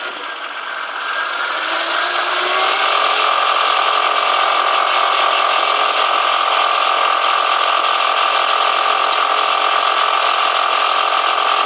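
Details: BMW E46 323, engine cold, held between 1600 and 2100 rpm: a steady high hum with a fast, even rattle underneath, seeming to come from below the engine toward the gearbox. It has been present since purchase a year ago and disappears once warm.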